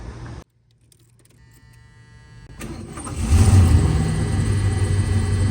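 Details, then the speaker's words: 1977 Lincoln Continental Mark V, after 3 years in storage, new battery, known vacuum and exhaust leaks: key click, short crank, catches at once and settles into a smooth even idle; normal start. "Man, that was like right away."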